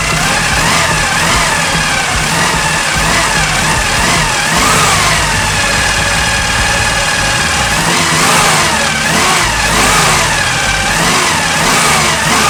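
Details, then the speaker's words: 1974 Chevy Nova, 4-barrel carb, air filter housing off: a strong steady engine note with throttle blips pulls up and settles cleanly. It is running good. "That's what we want. That's the noise we want. Looks good. Looks good. It's running good."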